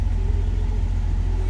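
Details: 1997 Jeep Cherokee 4.0L six, started cold, idling with fuel low: deep, even low rumble with steady rapid firing pulse, no knocking or ticking; healthy normal idle.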